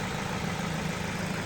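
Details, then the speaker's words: Ford Focus with a head gasket leak, a few days after Steel Seal, warm after a four-mile run: smooth, even idle with a steady low rumble and no misses, knocks or hiss. Little cooling pressure, gauge just below halfway, heater hot; normal idle. "There's no running issues. Everything would appear to be fine."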